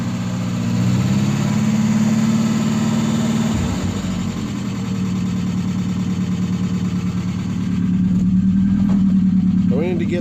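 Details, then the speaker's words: Engine, cold start after sitting a week, emissions being deleted before a Weber carburetor swap, smoke under the hood: uneven, lumpy idle with wavering beat and speed dips; rough running. "Oh yeah, you gotta push the clutch in. Ooh. Sounds pretty rough. Hear it?"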